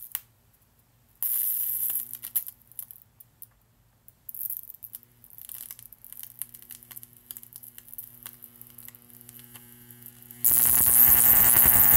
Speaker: That capacitor is shorted, alright. You can hear it crackling.